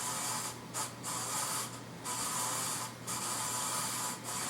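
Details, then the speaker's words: 1994 Casablanca Montclair ceiling fan at speed six: a steady hissing rasp that swells and dips with each rotation, from worn bearings, plus heavy wobble from a cracked flywheel that unbalances the blades. "speed six yeah there's a ton of bare noise and it wobbles a ton"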